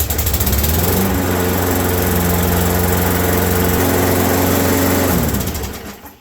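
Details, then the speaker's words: Roadside-found Craftsman mower with Briggs & Stratton engine, running after repair: steady, even but slightly slow engine speed before shutting down; rpm still to be checked with a meter. "it's a lot better I think it's a little slow now we'll have to get out my meter and check what RPM we're spinning at"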